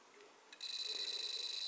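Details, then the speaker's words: Amiga 1200 rev 2B motherboard: an audio logic probe on a neighbouring good red RGB resistor goes from silence to a steady high pulsing tone with fast even warble, the normal Lisa video signal, unlike the failed resistor. "Beautiful. That's what we should be hearing on that side."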